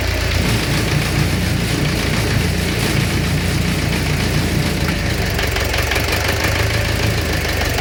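Loud steady idle with a dull repeating knock riding over the low engine drone: a knock at idle, cause not identified.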